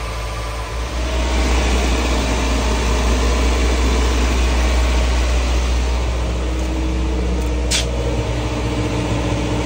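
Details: Mazda E1600 Bongo ute revived, started on choke: steady, fairly even low idle with a regular pulse, slightly fast; running normally.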